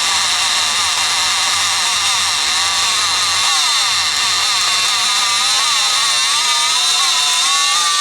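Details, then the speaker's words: Rockwell Sonicrafter oscillating tool, intermittent power, after replacing a cracked resistor and fixing bad solder joints in the speed control circuit: high whine whose pitch wavers and dips; working better but speed still uneven. "it doesn't seem perfect but it's working better"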